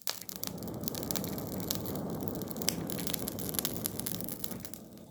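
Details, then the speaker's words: Small demo coal forge fed by a small hand-crank blower: a steady rushing roar with fine crackling from the fire bed, the fire "breathing," a normal, efficient forge air blast. "So listen for that sound and you'll know you've reached it. It's simple as that. We're talking about efficiency. You can hear the breathing."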